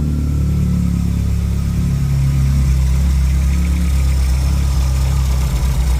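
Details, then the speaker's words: Two-door car with a no-start condition, idling after a new part was fitted and plugged in. Even, steady low engine note with no stumbles or missed beats, firing cleanly: nice and smooth. "all right let's try and start her up nice and smooth"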